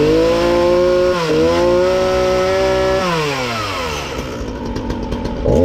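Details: Ryobi RY3714 37cc chainsaw with 14-inch bar, after carburetor repair for no-start/running only on choke, new air filter and fresh gas: fires and revs cleanly, pitch rising and falling smoothly with throttle, settling to steady idle; running healthy.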